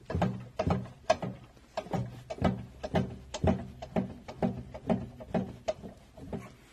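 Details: ГАБ-1-0/230 generator set with a 2СД-М engine running with a regular knock about twice a second, from a torn coupling.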